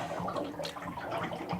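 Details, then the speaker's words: Draining the cabin's propane hot water heater tank during winterizing: continuous gurgling and splashing water echoing in a small room as the tank empties normally. "You can hear the water gurgling out. And when all the water drains out, you got the place drained."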